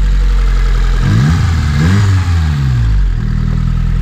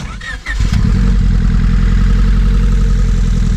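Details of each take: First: Honda Civic EK hatch with built single-cam engine (Y7 bottom end, Z6 crank, stock head with upgraded springs and retainers, aftermarket cam) after reseating pushed-back pins on a plug; deep even rumble with smooth blips, no missing; normal idle. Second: Honda Civic with flex-fuel injectors, sitting for years, starts and settles into a lumpy idle with a steady exhaust stumble: dead miss on one cylinder, found by pulling injectors one at a time.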